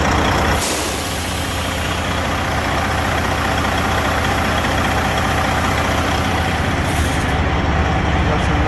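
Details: Detroit Series 60 14L semi truck on first cold start after an in-frame rebuild, oil pressure over 50, white-bluish smoke (owner suspects injectors or overhead): deep steady idle, even low thrum of two or three pulses a second, air hiss near the end; normal.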